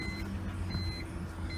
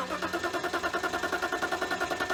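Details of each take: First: 1999 BMW 328i petrol six with Borla exhaust after fuel pump install, idling at 800–900 rpm: steady low hum with no taps or knocking; normal idle. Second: 1999 BMW 328i just after a new fuel pump, battery and air intake hose: engine runs only under steady throttle, with a fast, slightly uneven pulsing beat, and won't idle. The owner suspects a missing cylinder or leftover bad fuel.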